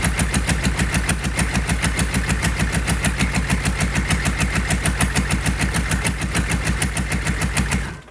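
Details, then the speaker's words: Rebuilt GEP/Navistar 6.5 diesel (2009 block, Scat crank, 30 over, Stanadyne DB2831-4911 pump), hot start without glow plugs: even clatter with crisp regular firing at steady idle until shutdown; healthy. "I'm going to let you hear it hot start. It'll start. I don't even need glow plugs. Quick pump of the trigger and it starts right up."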